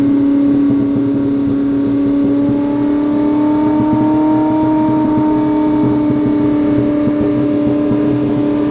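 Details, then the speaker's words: Ferrari 458 that began surging and idling very high, revving on its own even after a battery reset: a high, wavering idle drifting up and sagging untouched. Owner suspects a dirty MAF sensor or throttle bodies sticking open. "only thing i can think of is maybe a dirty maf but that seems like crazy this is not like typical dirty math stuff something something's really messed up it's almost like the throttle bodies are sticking open"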